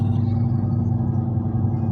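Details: Steady low droning roar at road speed, even and constant without knocks, coming only from the front right wheel while other tires sound quieter; suspected bad wheel bearing, possibly a bad tire.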